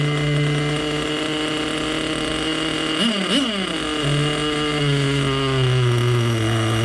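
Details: Vintage nitro RC engine (HPI RS4/MT2, OS tagged) running after refuelling and reattaching a leaking fuel line that kept slipping off the tank nipple. It holds a steady high buzz, blips up and settles back cleanly, and runs smoothly.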